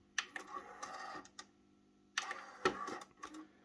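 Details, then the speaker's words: Sony TC-K611S three-head cassette deck after its transport repair: two bursts of mechanical clunks and whirs a few seconds apart, then quiet; the ordinary motorized eject cycle, nothing wrong. "they do get a little bit of a bad rep with um the the clunking i think somebody called it all clunky or something like that due to the noise of ejecting"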